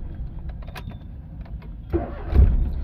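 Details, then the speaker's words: Maruti Alto K10 that had long cranking, code P0340 (cam sensor circuit) and revs stuck near 4000 rpm instead of 6000, after the fix: short crank, then it catches at once and settles into a steady low idle with no stumbling; normal start. "चाबी गाड़ी की हमारी starting ए चुकी है"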